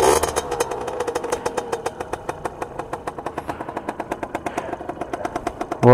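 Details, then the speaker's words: Used motorcycle, cold day, checked during purchase: steady, even idle with regular crisp exhaust pulses, no ticking, knocking, misfire or piston rubbing; normal idle. "le ralenti du moteur ici ben on l'entend il y a aucun souci il y a pas une mauvaise combustion donc pas de problème de clicti ou de frottement au niveau des pistons"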